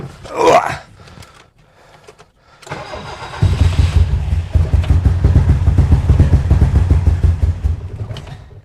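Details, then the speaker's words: 1972 BMW 2002 on a cold start, which spat and sputtered when it arrived: it catches after a couple of pops, then runs as a lumpy, uneven rumble with irregular stumbles about twice a second. Misfiring; mechanic suspects a fuel problem, not confirmed. "oh yeah she's not happy"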